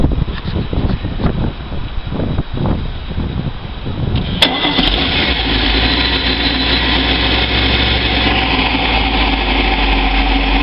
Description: This is the same Moomba that came in that had the exhaust leak that has now been repaired. As it can be seen there is no more ticking noises are exhaust leak inside of the boat.